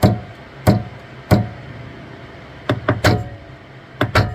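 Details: Saturn Ultra 4 16K resin printer after print start, platform keeps travelling up: sharp loud knocks in irregular bursts over quiet hum, like platform hitting its travel limit; Z-axis knocking, cause unclear.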